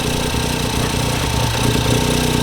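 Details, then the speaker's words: Ford Fiesta EcoBoost three-cylinder, first start after engine swap with no coolant yet; busy, slightly throbbing but steady idle, no knocking, a normal top-endy sound for this engine. "they're a very top Endy sounding Little Engine it's three cylinder as well so that's just how they sound"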